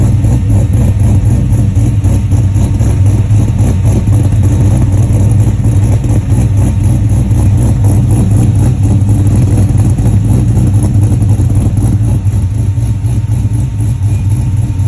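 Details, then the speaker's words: 1967 Chevelle with LS3 480 hp V8: deep lumpy idle with uneven rhythmic chug about three to four pulses a second; rough idle, cause not evident. "Maybe you can hear this thing chugging along. It's rup, rup, rup, rup, rup, rup, rup."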